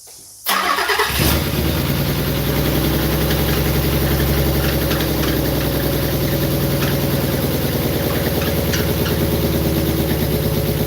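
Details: First start of a car after a three-year build with newly done wiring and an alarm still fitted: it catches after a short crank, then runs with a lumpy, uneven idle and a missing beat, as if one cylinder isn't firing; owner suspects a connector or injector.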